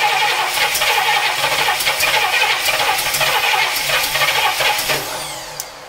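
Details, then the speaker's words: 1964 Cadillac V8 with points ignition, sat 17 years, new oil and filter, charged battery, fuel from a jug to the carburetor, starting fluid: steady fast cranking for several seconds, never catches; test light shows no spark. "so it looks like we are not getting spark we need to figure out why i threw my test light on it no spark"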